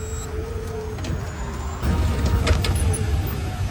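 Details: Electric four-wheeler, about a year old, after fixing a motor-area noise during driving (suspected differential bearing or gear damage), reassembled with engine oil instead of gear oil in the differential: low, smooth rolling rumble, no clicks or grinding; drive sounds healthy.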